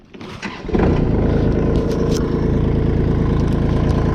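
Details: Kubota L2501 HST diesel tractor with a no-start: cranks briefly, catches and settles into an even, steady idle once the safety micro switches are pressed by hand to make contact. Normal start; switch tabs or linkage to be adjusted.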